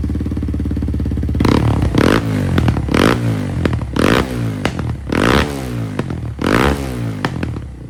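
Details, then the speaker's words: Kawasaki KLX230 single-cylinder after ProCircuit full exhaust install, untuned, just idling: uneven idle with sharp popping backfires on blips and decel crackle; dangerously lean, EGR delete not expected to fix it. "Obviously, we knew it was going to backfire, but I don't think our EGR delete is going to solve this problem right here. That right there is no bueno. That is lean. That's just idling."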